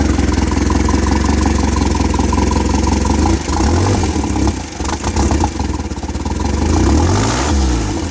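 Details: Fully built turbo Pontiac Sunfire with water-methanol injection: engine catches and settles into steady low idle with a couple of brief revs rising and falling cleanly; normal idle.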